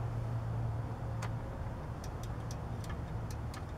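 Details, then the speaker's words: Riding lawn mower no-start with brake set, in neutral and blade disengaged: several light irregular clicks from the blade engagement switch over low rumble, no starter engagement. Cause not confirmed. "I need the screwdriver again hear it click it clickity click"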